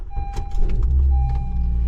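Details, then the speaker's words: Honda Civic after a bracket was tidied up: engine catches quickly and settles into a low, steady hum with no shaking or knocking in reverse, neutral and drive; vibration fixed, normal idle. "No vibration yet. Yeah, reverse perfect. Neutral perfect. Drive perfect."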